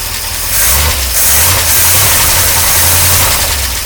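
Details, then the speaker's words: 1953 Oldsmobile Rocket Super 88 barn-find V8, after fixing stalling and hesitation and now running on a fuel pump. Picks up cleanly through several throttle blips with no stumble, loud open exhaust: normal revving. "the exhaust is really loud I'm loving the Clyde it down but the engine sounds really really good all things considered they feel rev up"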